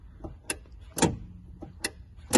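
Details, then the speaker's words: NA/NB Mazda Miata clutch pedal: sharp dry clicks each time the pedal is pushed in, from a broken rubber stopper pad where the clutch switch presses; blue rubber bits fall on the floor; the fix is a new stopper pad. "that clicking whenever you engage and you find blue bits of rubber on the ground well what does that mean there is a stopper that goes on the pedal there where the new where that clutch switch presses on"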